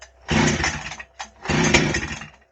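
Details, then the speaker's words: Husqvarna 266XP chainsaw being started for tuning after chain and bar service, fresh fuel added, spark confirmed: two brief bursts of firing on the pull, each dying within a second; fires but won't keep running, possibly still pulling fuel in. "all right it tried to start let's pull it"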